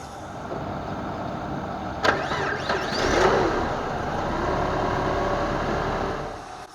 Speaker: you can see it started up here without any hesitation.